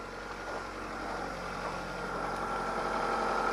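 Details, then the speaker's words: 2004 PT Cruiser, 150,000 miles, weak battery, remote-started unassisted at -17°F (-27°C), not plugged in, first run of the day: after a rough start the idle settles into a quiet, steady, even hum; normal idle after warm-up. "wasn't plugged in or anything but it is going sounds like it's all going to smooth out in a minute here yep"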